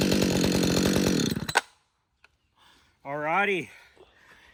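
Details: Husqvarna 562XP two-stroke chainsaw, back from the dealer after being reflashed for dying when hot and failing to start, now hot after long continuous cutting in dry dead oak: strong steady high-rev buzz through the cut, drops off cleanly; healthy running under load.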